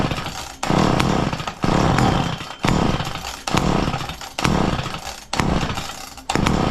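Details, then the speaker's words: Garage-sale two-stroke chainsaw finally starting in a vise, smoking: engine surges and sags about once a second in ragged uneven bursts, never steady. Owner suspects old fuel in an unchecked tank; rough running. "yeah that's a hell of a start I don't even know what this gas tank looked like"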